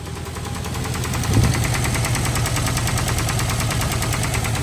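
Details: Newly bought Jeep at rough idle: heavy, low, uneven rapping about four times a second; owner unsure whether top-end ticking from a bad lifter or bottom-end knock, first suspected bottom end, and plans to pull the valve cover; engine knock.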